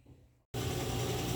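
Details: Brastemp BWL 11kg washing machine, after repair: the spin had a "trac trac" noise from a broken part in the box and a worn pulley. With both replaced, the drum spins up to a steady, even rush with no knocking, scraping or squeal, now quiet.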